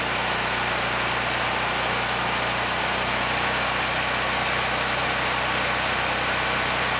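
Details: Honeywell HW5500 5500-watt generator, 337cc engine, after fitting new Hipa carburetor, replacement tank and old gaskets (insulator issue found); steady, even low drone with no misses or knocks — normal running.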